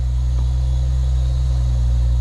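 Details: BMW E93 335i N55 started after upgrading the low pressure fuel pump; steady, even low idle rumble with no knocks, misses or hunting; engine is settled and running smoothly after the work.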